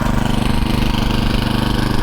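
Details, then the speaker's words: TroyBilt 18-inch Mustang tiller after replacing a broken drivebelt with an A57 belt: the small engine idles with a quick even putter and no knocks or misses. It idles healthily without turning the belt. "Good. See the engine's idling without turning the belt."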